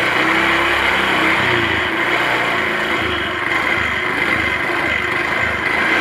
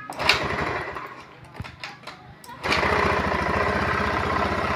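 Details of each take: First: Honda automatic scooter that started hard and stumbled, after disconnecting/bypassing the EOT sensor; starts easily, steady even idle with no stumbling or hunting, normal idle. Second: Honda automatic scooter, hard to start: catches after a few rough, uneven firings, then a lumpy, hunting idle; stumble caused by a faulty engine oil temperature (EOT) sensor, fixed by replacing the sensor with a bolt.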